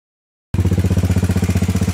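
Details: Honda Fourtrax 300 (TRX300) single-cylinder after valve adjustment (0.15 mm / .006 in lash, set at TDC on the compression stroke), muffler also replaced: steady, even idle thump with no valve tick; runs and sounds nearly new.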